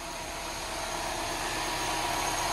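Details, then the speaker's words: Mini Cooper S after engine rebuild replacing a destroyed valve, first start with plugs and coil packs refitted, heard at the exhaust: even, steady idle with no missed beats; normal idle, misfire cured; turbo oil feed leak found afterward. "yes listen to that that is perfect leave it running for a sec when a car is misfiring you can hear it best at the exhaust but that sounds"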